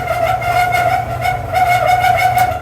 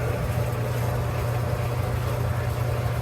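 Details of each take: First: Clothes dryer running with the door switch held in: a loud, steady high squeal over the low rumble of the turning drum, which started in the last couple of days. Suspects a rear drum roller or front rub block, to be greased. Not confirmed. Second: Clothes dryer after squeal repair, with stainless flat washers added and the front panel still off. Steady low drum rumble with no squeal or thumping; it runs quietly.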